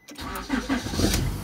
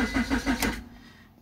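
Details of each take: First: 2002 Honda Accord 2.3: brief crank, catches within a second, then a steady, even idle hum with no misses; starts and runs normally. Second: 2002 Honda Accord 2.3 that stalled and won't restart: starter cranks briefly at about six pulses a second, then falls silent with no firing; the faulty main relay cuts power, and tapping it lets the engine start.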